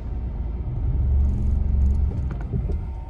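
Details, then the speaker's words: Peugeot 208 diesel with clutchless automated manual gearbox, owner's complaint of severe vibration: deep, low, uneven rumble and shudder as the car pulls away; heavy vibration on pull-away, cause not yet found. "뭐 차량 출발 하려고 하면 진동이 어머어머 게 있어야지 마모 다시 한번 제 보여드릴게요 진동이 느껴지시나요"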